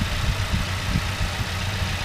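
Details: Ford Ranger idling after battery replacement, alternator reading 14 volts: steady even low rumble, no knocks, misses or rattles; healthy engine, starts much better.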